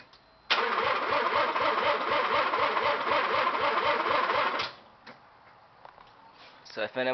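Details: 1984 Mazda RX-7 GSL: starter spins engine in steady rhythmic churn for about four seconds, never fires; no spark, fuses and fuel pump good, not flooded or carbon locked; cause unknown.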